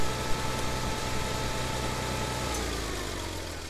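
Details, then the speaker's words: 1962 Farmall 560 tractor after its carburetor was cleaned, with no adjustments or new parts, idling with a slow, even, low rumble and no misses or knocks; runs smooth; normal idle. "up you can see runs like a runs like a top so our clean in without any adjustments or without any uh new parts in this case worked"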